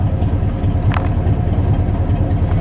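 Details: Truck idling after about half an hour of running, voltmeter reading about 14 V before a shut-off to test whether the battery holds charge: steady low idle with an even rumble and no misses or knocks. Engine sounds healthy.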